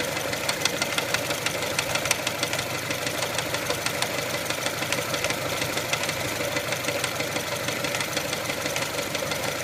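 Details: 1999 Mitsubishi Pajero iO with 4G93 engine at steady idle, crankshaft pulley wobbling (owner unsure if it's the cause): sharp knocks about three a second above the engine note; engine knocking.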